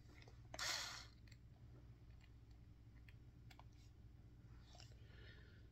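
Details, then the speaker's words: Drill driving a screw: a few sharp dry clicks as it stops, the clutch slipping at its set torque, showing the screw is fully seated without stripping. "If you hear it makes that kind of clicking noise, that means that it's in all the way, and you know it won't strip the screw or thread out."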